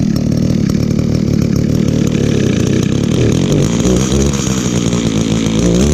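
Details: Almost 18-year-old two-stroke trimmer that seemed to want to die just before. High steady buzz with small throttle blips, revving cleanly without stumbling. Runs excellent with great compression; normal running.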